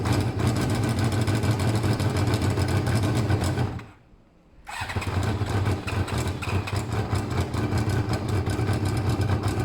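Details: Motorcycle with its coolant topped up, with pod air filters: uneven, lumpy running that cuts out briefly then picks up, struggling and sucking the pod forward from a restricted intake; the owner plans to drill an extra small hole.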